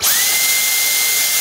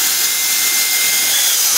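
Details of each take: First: Dyson V10 vacuum running on a homemade 3000 mAh replacement battery. A steady high whine spins up fast, holds an even pitch, then winds down cleanly; the motor runs normally, just as on the original battery. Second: Dyson V10 vacuum on a DIY-built 3000 mAh battery, inlet blocked to test protection: a high motor whine dips about twice a second, then winds down; it runs fine once the inlet is opened. Overload protection cutting out the motor on a blocked inlet.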